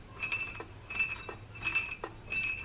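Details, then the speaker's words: Mitsubishi Lancer Evolution 1 JDM, both belts removed: rhythmic metallic clack with ringing tone from the water pump pulley; first suspected a failing pump bearing, but no antifreeze leak at the water pump. "bruit provient directement de la poulie de la pompe à l'eau. Alors, au début, le bruit qu'on entendait, ça me faisait penser à un bearing qui finit."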